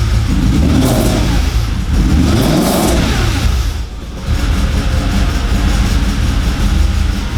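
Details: Audi S4 4.2 V8 just started after about two years, some vacuum lines bridged: revs rise and drop back unevenly, lumpy and stumbling between blips; rough running, owner suspects vacuum leaks.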